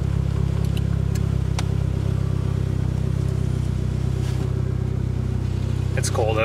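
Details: 500hp turbo Dodge Neon SRT-4, built engine, after fitting the cam sensor magnet: steady, even four-cylinder idle with smooth low rumble, no misses; engine running normally.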